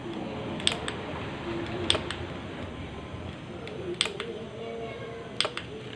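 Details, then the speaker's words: SiSAH 220V 2-channel wireless remote control switch receiver with 10 A relay, switched off and on: four crisp clean relay clicks a second or two apart, small but easily heard from outside. Normal relay click. "ഇതിൻ്റെ റിലേയുടെ sound നമുക്ക് വെളിയിൽ നിന്ന് കേൾക്കാൻ പറ്റും. ചെറിയൊരു sound നമുക്ക് easy ആയിട്ട് കേൾക്കാൻ പറ്റും."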